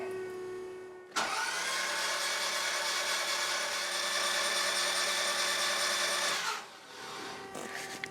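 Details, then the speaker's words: Toyota MR2 engine cranked with spark plugs removed to check rebuilt oil pump; quick, even starter whir for about five seconds with no compression pulses, turning over quicker than with plugs; battery later just over 12 volts. "So it definitely sounded different without the spark plug. Seemed like it was turning over quicker."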